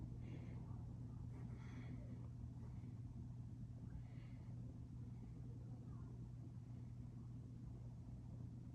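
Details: Westinghouse Art Metro ceiling fan running with a steady low hum under the motor noise, caused by a bad run capacitor.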